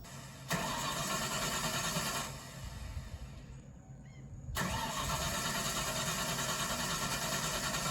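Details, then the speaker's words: 1993 Ford F-150 with swapped 351 Windsor, other throttle position sensor fitted to good throttle body: starter cranks steadily, engine never catches; owner thinks sensor read wide open, holding flood-clear mode, since unplugging it let it start; diagnosed bad TPS, new one bought. "Um, basically I think it was in flood out mode and the sensor was reading that it was mashed down all the time and therefore wouldn't start cuz as soon as I unplugged the sensor and tried to start it, it came right to life."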